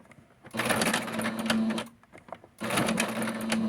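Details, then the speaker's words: Sewing machine with a messy lower thread and bobbin problem, before cleaning and oiling: two bursts of fast stitching with steady hum and a loose busy rattle on top; something sounds like it's moving, cause suspected, not confirmed. "I don't know why, and that's the reason why I probably stopped, but something sounds like it's moving."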